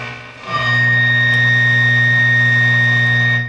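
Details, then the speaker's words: 1959 AC Delco hybrid AM car radio (1 transistor, 4 tubes) from an old Buick, untouched, improvised antenna, bench speaker: steady hum and clean held tone after switch-on; works and sounds quite sensitive; normal AM reception. "this thing works incredible i didn't do anything to it this thing's pretty sensitive too"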